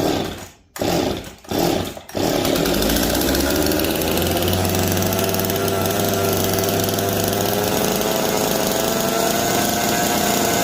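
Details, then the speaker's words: Jonsered two-stroke chainsaw (425 or 490) back running, choke off and getting oil; catches after a few pulls and holds a steady, even buzz with no stumbling or dropouts. Normal, healthy running. "Let me try it? Sure. Sounds like it wants to run."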